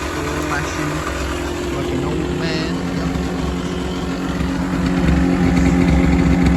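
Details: Kawasaki KMX 125 two-stroke motorbike running after a flat battery was replaced, before its MOT. Steady low two-stroke burble with even pulses and no misses or knocks; a healthy, normal idle.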